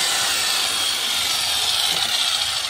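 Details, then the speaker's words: Brand-new Ryu RCS 185-1 circular saw on its first cuts in wood after unboxing; steady high whine with even cutting hiss, not very loud, no bogging, grinding or rattle, cutting cleanly and running healthy. "Suaranya nggak terlalu bising. Ini banyak kayu guys. Kita akan coba."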